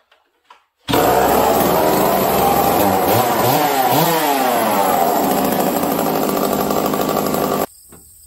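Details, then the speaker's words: Stihl 038 chainsaw, new build, starting cold with low jet at four turns: loud rough two-stroke roar that wavers and bogs right after starting from lack of fuel; lean on low jet or choke circuit suspected. "but if you notice if you listen to it it started up and then it was boggy it had not enough fuel right away which tells me again i am lean on the low jet or on the choke circuit okay so right there this saw was boggy because it didn't have enough fuel once i fired it"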